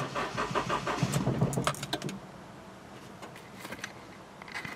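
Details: 2000 Honda CR-V with new battery, fuel pump, fuel filter and distributor: starter churns engine over with steady rhythmic chug for a couple of seconds then quits; cranks but won't start, cause unknown.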